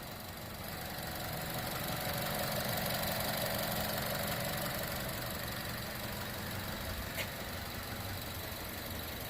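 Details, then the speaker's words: 2015 Chevrolet Cruze turbo, after the turbo coolant return line repair, idling to bleed air from the cooling system: steady, even idle with a soft, regular pulse and no knocking or hissing; normal idle. "like i said we're just letting her run to bleed the cooling system let her burp up any air bubbles if there's any trapped in the cooling system"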